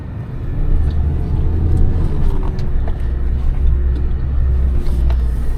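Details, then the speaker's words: Suzuki Jimny JB23W with lockers, lift and snorkel crawling over fire berms, flexing suspension: only a low steady drivetrain rumble with no scraping or rubbing; suspension sounds solid, no rubbing. "also a great opportunity to flex out the suspension and listen for bad noises rubbing things of that"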